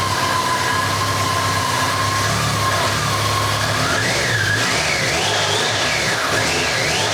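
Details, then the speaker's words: BMW K100 motorcycle just started on choke, running roughly with a wavering whistle that wanders up in pitch; a vacuum leak is suspected somewhere and fuel is leaking out. "There's a vacuum leak there somewhere, and it's fucking pissing out fuel"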